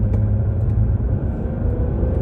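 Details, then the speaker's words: Citroën C6 HDI diesel under light load after air flow meter (débitmètre) fix for intermittent limp mode: steady deep rumble pulls smoothly, no throttle delay or dead spot, where before it likely hesitated for lack of air; normal acceleration, repair successful. "Et ça se passe très bien. Il n'y a pas de temps mort."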